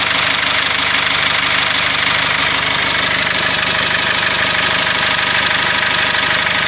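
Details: Cummins diesel in a GAZelle Next: a sharp rapping knock, about three a second, over a harsh clattery idle. The knocking started after a level dropped and is being checked while revving. Cause unknown.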